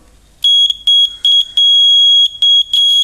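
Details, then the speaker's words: Small DC buzzer, voltage-activated (not frequency-driven), connected directly to positive and negative leads: shrill, steady tone near 3 kHz in six uneven bursts, buzzer working properly. "tal como eis el zumbador suena por lo tanto este es claramente un zumbador activado por tensión activado por voltaje"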